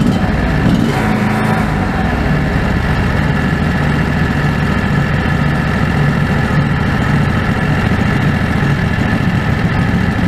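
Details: Predator 670 V-twin after adjusting the stock carburetor (brass caps removed), fed by an electric fuel pump with a crankcase vacuum line. Even, steady idle with a constant low thrum and no hunting or surging. Factory idle was unstable; now stable.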